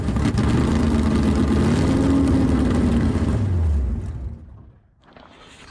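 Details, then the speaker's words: 505 stroker V8 (600+ hp) in Dodge Charger, first start: runs a few seconds at fast uneven revs then sags and dies; idle not yet set, fuel pump upgrade needed; fuel starvation suspected. "we got to get this thing actually set it where it will run an idle"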